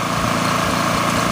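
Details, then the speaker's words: Generac GP 3250 generator after repair (new carb, gaskets, OHV gasket, fuel line, fuel shut-off valve, fuel system and tank cleaned, oil flushed three times); even high-pitched buzz, quiet through a big muffler, no misses or surging, normal running. "sounds good nice and quiet okay this one's actually pretty pretty quiet you wanna call it that have nice big muffler on the exhaust side"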